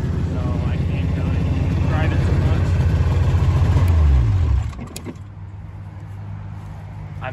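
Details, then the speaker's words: 1997 Ski-Doo Mach 1 700 triple two-stroke snowmobile, about 3,414 original miles, just bought: steady even idle climbing cleanly on throttle and settling back. Normal idle and revving. "So I'll go ahead and I'll fire it up for you guys. Idle's really good."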